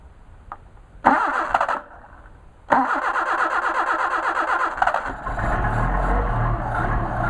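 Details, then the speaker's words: Solex carburetors on a test stand engine, cold start with no temperature on gauge, choke on after goosing throttle: two bursts of cranking, then catches and settles into a steady slightly fast idle; starts cleanly. "We got no temperature registering on the gauge right there, and we're doing the actual cold start."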